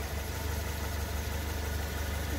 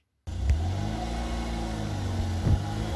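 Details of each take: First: Lifan X60 petrol, about 38,900 km, idling: low uneven metallic buzz-rattle, also heard when pulling away, from the exhaust heat shield broken loose at its weld on the muffler pipe. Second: Lifan X60 at 38,900 km, after refitting the detached exhaust pipe heat shield with a new clamp; engine revs up and settles with no tinny buzz from underneath; normal exhaust, heat shield rattle gone.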